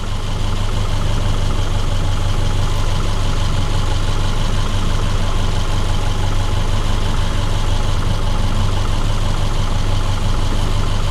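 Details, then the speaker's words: 2010 Subaru Forester after water pump replacement, warm idle: steady even low hum, about three pulses a second, no ticking or roughness; idles healthy. "let it idle for a few minutes sounds like it's running just fine"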